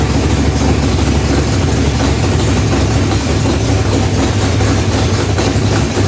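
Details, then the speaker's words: Chevy big-block V8 in a box Chevy, restarted after a rich first start, carburetor and timing not yet set: deep, steady, even idle rumble with loud exhaust, no knocks or misses; runs healthy, just loud. "Yeah, the bitch sounds good. A little loud."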